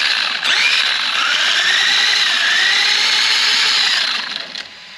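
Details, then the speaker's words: Absima AMT3.4 RC car after fitting a Robitronic Razer brushless combo with pinion/spur backlash set to a minimal wobble: a short throttle blip gives a smooth clean rising gear whine, no clicking or grinding, the correct mesh sound. "ja sitten kun sitä vähän kaasuttaa niin se ääni kuuluisi olla suurinpirtein tällainen kun tässä nyt"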